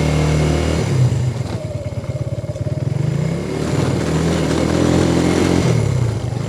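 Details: 125cc single-cylinder motorbike after repair, ridden around the courtyard: single-cylinder thump stays even as revs rise and fall, no knocks or misfires; runs healthy.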